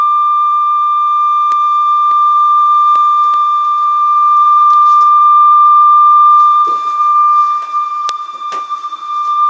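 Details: Conion CRC-H84 cassette deck after belt replacement and lubrication, playing a steady test tone near 1 kHz with no audible warble or drift while tape speed and wow are checked.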